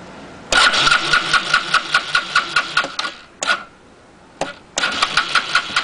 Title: SYM xpro100 won't start !